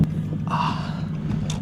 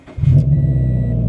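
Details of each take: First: Nissan 350Z freshly started after sitting about five months unrun: deep, uneven rumble with scattered ticks and rattles, nearly stalls; owner hears a lot of unexplained noise, cause not yet clear. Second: Nissan 350Z bought non-running, revived after sitting about five months: brief deep even rumble settling into a steady idle with no knocks or misses; engine sounds healthy.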